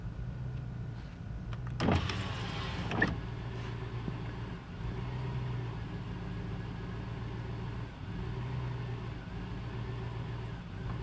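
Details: 2002 Chevrolet Tahoe, cold: the idle sags and recovers every few seconds with an uneven beat. Carb cleaner helped only briefly; owner suspects an intake or gasket leak rather than the MAF. Rough idle.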